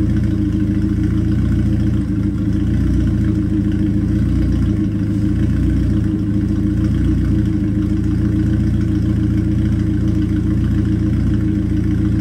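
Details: Toyota Starlet EP82 with four new spark plugs, cold engine not yet warmed up, idling with a deep but uneven lumpy beat and occasional dips; still misfiring despite new plugs.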